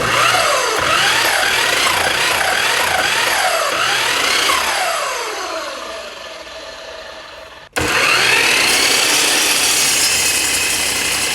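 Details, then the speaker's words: New Ridgid 12in dual-bevel sliding miter saw (model 1826/1831) with a new blade: high motor whine warbling in slow swells under load, from vibration and blade wobble in a defective saw. "all right here it is and see if we can pick up the shaking and vibration [Music] [Music] you can even hear it when it when it's amps up listen"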